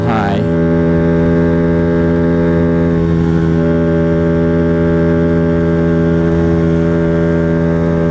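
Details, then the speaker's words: Honda Ruckus scooter after a valve adjustment and tuning attempt, revving too high while riding: the engine snaps up to a high, steady buzz and holds there, the variator sliders seemingly not sliding and the belt not traveling. "I am revving at it's like my sliders aren't sliding or something my belt isn't traveling what happened"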